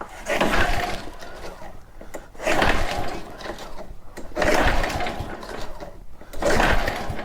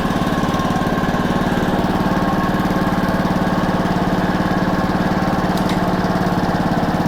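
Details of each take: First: Very old Honda walk-behind mower at about 30 degrees outside, choke possibly off: four separate pull-start bursts about two seconds apart, engine spins each time but never catches; cranks but won't start. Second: Honda walk-behind mower, single cylinder, started cold on choke after a new plug and cleaned carburetor, air filter off: steady, even chugging with no misses or knocks; runs normally.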